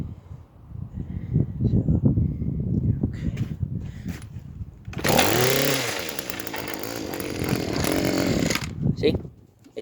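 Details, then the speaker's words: Small two-stroke lawn care engine during yearly tune-up: catches and revs briefly with rising buzz, then sputters and dies; owner suspects a bad carburetor. "runs it spins but then it dies which is a problem so my question is what do i do"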